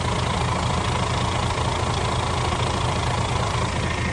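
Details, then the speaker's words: DAF CF85 Euro 6 diesel truck started after replacing a worn inlet camshaft and rockers, adjusting tappets and engine brake, and fitting new oil and fuel filters: a steady, even idle with no top-end knock, though an exhaust or air leak is present. A normal idle. "Pretty happy with that. Sounds good. Yeah."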